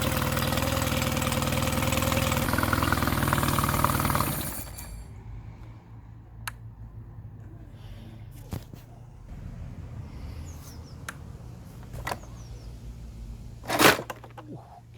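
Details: Mercury 9.9 outboard bought used for £120, which had not run, back after 8-9 weeks of repair with parts from abroad; test run: steady, even buzzing idle for a few seconds, then clean shut-off; normal healthy idle.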